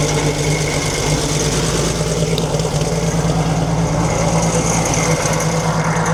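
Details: 1942 Chevrolet Blitz CMP truck, 216 six-cylinder petrol with Carter carburettor gravity-fed from a temporary tank, started after sitting for years: steady, even idle with a low constant beat and no knocks or rattles; healthy.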